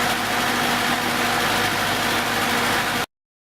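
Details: 1970s Datsun after ignition-system work, with its 6.5-year-old battery recharged from fully dead to 12.76 V: a steady, even idle with a smooth low rumble and no knocks or misses. The engine sounds healthy.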